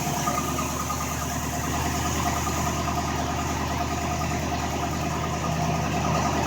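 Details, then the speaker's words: ZB MG Magnette V8 Coupe cold start on mechanical auto chokes, mic near exhaust: steady even fast idle with smooth low rumble, no knocks or misses, held about three minutes; normal. "now we've gotta let it idle like this for about three minutes on fast-idle remember it's automatic these are a mechanical system"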